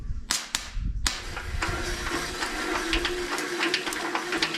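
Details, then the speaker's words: Mini radial engine cranked by a starter: sharp irregular snapping clicks of plug sparks over the starter whir as the engine turns; ignition is working. "I hear spark you hear Spark I mean I see Sparks well but I hear Sparks"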